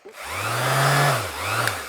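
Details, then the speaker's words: Older NRG-brand sander from a charity shop, bench-tested: strong, even motor hum rising and falling smoothly as it's switched, little rattle or vibration; the motor sounds healthy. "But it seemed to have a nice sort of hum. The motor sounds strong. Not a lot of vibration."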